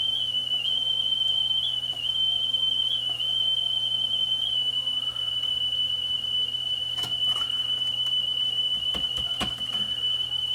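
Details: Sony TC-WE405 double cassette deck, left deck, one motor driving both transports, belts not broken or stretched, before cleaning: high, steady test tone that wobbles and dips in pitch every second or so, then steadies; uneven tape speed, wow and flutter.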